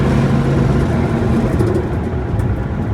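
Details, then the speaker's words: 1965 Ford Mustang coupe, cold, lugged down in third after downshift: heavy uneven rumble, knock and shudder tracking engine input rpm, gone with clutch pushed in; suspected vibration between flywheel and transmission/clutch, unconfirmed. "You can hear our knock. It does not for the second inch. Everything is cold. Got her lugged down. See that downshift in the third? And that noise comes back. It's definitely input RPM specific."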